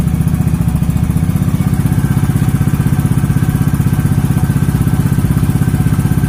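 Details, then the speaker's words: Beat scooter with a Tsukigi exhaust used for a few months, idling before the glasswool is replaced. Loud, raspy, boomy exhaust pulses; the owner suspects the glasswool packing is burnt. "Dan kemungkinan gasbulnya mungkin udah kebakar, makanya udah waktunya untuk ganti. Dan sebelum ganti, kita coba dulu tes suaranya seperti apa."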